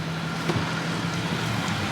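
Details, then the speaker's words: Car with about 146,000 miles and fresh oil, idling: a steady, even low hum with no ticking, chirping or knocking, just wind in the background; the engine sounds healthy, with no visible leaks. "Motor sounds healthy. I don't see any active leaks or anything. No chirping, no nothing."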